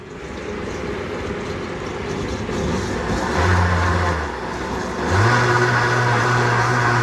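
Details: 64-ounce Vitamix blender, previously barely turning and smoking, tested with water after blade assembly replacement: motor spins up cleanly to a steady, even hum with no grinding, rattling or labouring; sounds like new.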